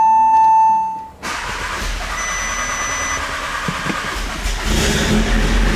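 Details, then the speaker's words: Audi S3 (EA888) with a Stone valvetronic catback and eBay downpipe, after everything was taken apart and reassembled: a chime, then the engine fires cleanly into a steady, loud idle with a slight rise in revs. It starts normally. "i'm gonna start this time because i feel like liam must have jinxed it come on please"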